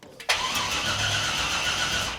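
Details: C5 Corvette drift car after engine install, no spark, weak battery: fast even crank for about two seconds, never catches; cranks, no start, cause unconfirmed.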